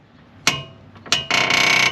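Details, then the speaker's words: 2001 Honda CR-V with a creaky front suspension, heard from underneath while the steering is turned and the suspension cycled: sharp creaking bursts and a longer groan. The noise comes from a worn passenger-side tie rod end with a squished, flattened rubber joint. "I can clearly tell it's only coming from the passenger side so let's roll over here go ahead again ah so it's definitely coming from this tie rod end"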